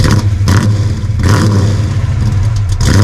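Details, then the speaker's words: Dodge Dart Swinger 340 V8, started with clutch in: deep, even burble with crisp throttle blips that rise and settle cleanly, no knocks or misses; healthy engine. "That does sound good. We gotta figure out. Ooh, it sounds good. Nice."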